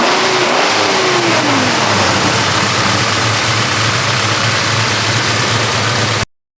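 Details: 1972 Chevrolet Chevelle with 454 big-block V8 and 3.43 gears, lowered and started after underside inspection: deep, even big-block rumble settling into a steady lopey idle with no knocks or ticks; normal idle.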